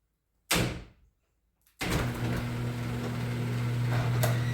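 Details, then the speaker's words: Genie screw-drive garage door opener after replacing the trolley and greasing the screw with white lithium grease, previously grinding: a single click, then a steady, even, quiet motor hum with no grinding. "There we go. Quieter than ever, too."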